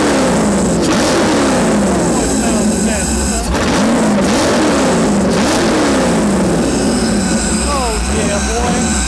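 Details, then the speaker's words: Chevy LS1 V8 (500 HP, ex-Camaro racecar) for a 1977 Hawaiian jetboat, first run after 10 years in storage, about 100°F out: lumpy beat, revs rise and sag unevenly, idling on its own but stumbly; rough running, needs tuning. "I've been waiting 10 years to hear that thing run again it's a little stumbly we got to do some tuning on it it's idling on its own at least"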